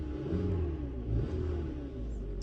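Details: 2015 Hyundai Tucson 2.4 L petrol with code P2188 (system too rich at idle) revs slightly with an uneven, lumpy low note: misfire on cylinder 1 that stays after swapping coils, so the spark plug is bad.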